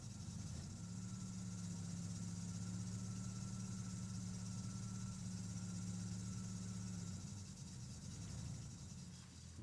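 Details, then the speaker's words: Car with unresolved stalling, low power, smoke and disappearing antifreeze, while warming up: low idle drone holds steady, then sags and wavers below normal revs as if about to die; rough idle, stalling, cause not found. "No, no, he doesn't want to. He doesn't want to do anything at all."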